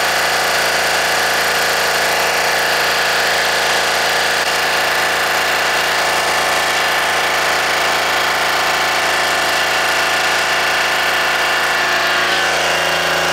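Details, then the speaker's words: Deutz 3-cylinder diesel, previously hard-starting early mornings, idling after a gravity-fed fuel tank modification: smooth constant clatter with no stumbling or speed hunting; normal diesel idle. "now it's okay, guys. Before, too much problem, guys. Very headache for this. Now it's okay."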